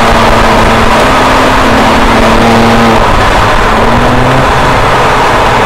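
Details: 2007 BMW E90 335i N54 on track with a custom transmission tune meant to fix a shift flare/misfire: strong full-throttle pull, quick clean rev drop at each upshift, no flare; normal upshifts.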